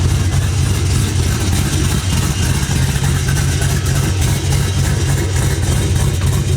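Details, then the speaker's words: LS V8 mini truck after stainless exhaust work with a cam: deep lumpy steady burble, no rattles; O2 sensor bungs not yet fitted with sensors, check engine light on. "sounds pretty sick though yeah it does trucks done sounds good i spun around the block no crazy rattles"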